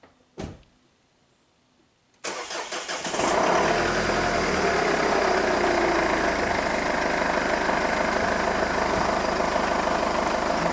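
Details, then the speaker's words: 2005 Jeep Liberty CRD diesel: cranks briefly, catches, then settles into a loud, rattly, fast steady clatter at idle, much harsher than a healthy common-rail engine, tractor-like; complaint of limp mode, severe power loss, no turbo boost, P0105 MAP/boost sensor code; cause unconfirmed. "customer complaint sounds like a kubota tractor look at this thing crd limited my other diesel is it cummins"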